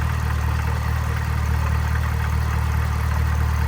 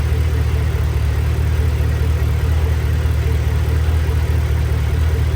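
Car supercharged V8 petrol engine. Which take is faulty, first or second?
first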